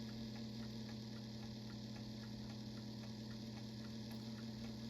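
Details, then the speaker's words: Telechron rotor from Tela-Alarm Jr. electric clock after oven-heating free-up of frozen rotor (rated 3.6 RPM): steady mains hum with faint uneven scratchy ticks, started stop-start; grinding synchronous clock rotor, owner considers another heating. "It's not running particularly smooth. It didn't start all that well. It was kind of stopping and starting, but there it is actually running. Sounds like it's grinding in there."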